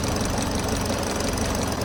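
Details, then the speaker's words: Kia Sportage engine after repair: a failed camshaft sprocket that had separated from the camshaft, a scored cam bearing cap, and aluminium debris in the oil pan. After reassembly it idles steadily and smoothly with no knocking or ticking: normal. "在这个车子也是一切正常，异响和故障也完美搞定了。"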